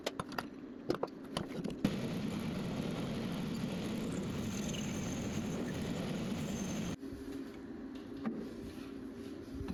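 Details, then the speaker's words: Bent fence post auger of tough EN19 steel being turned on a small, non-rigid lathe: harsh buzzing rattle over a steady low hum while cutting, then stops; tool chatter from lack of rigidity. "So, you will hear a lot of chatter. I often just live with it because I end up chasing my tail trying to get rid of it."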